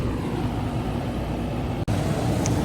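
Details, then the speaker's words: Old Goodman AC condenser, no cooling call at 8 pm: only a steady airy fan whoosh with a low drone, no compressor hum ever kicks in; fan runs but compressor not running, gauges to be checked. "All right, I thought I heard a compressor, but I did not."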